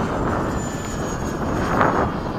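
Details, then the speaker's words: Eflite or FMS 80mm 12-blade ducted fan being balanced at the field, run just over idle before balancing: low fan whoosh with coarse, fluttering roughness instead of a clean whir; sounds terrible, out-of-balance rotor. "run up the fan really quick very slowly just barely over idle right there a little more but it's terrible so second throttle cut"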